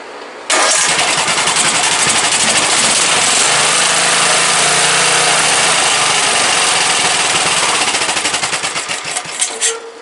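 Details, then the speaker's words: Briggs & Stratton 17.5 OHV single-cylinder lawnmower engine after a hand-cut gasket and tuning fires up quickly and settles into an even beat with no knocks or misses until shutdown; starts every time with the key, compression release working properly. "But it runs good now. It starts over every time with the key. The compression release is working properly."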